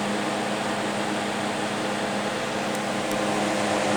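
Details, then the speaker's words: Vintage two-speed fan on high, not oiled in a long time: constant motor hum under airy whoosh, a bit louder than it should be; owner plans to disassemble, blow out and re-oil the motor. "it still runs fine just a bit louder I should probably disassemble this motor I haven't done that yet probably disassemble it blow it out a little better and oil it again"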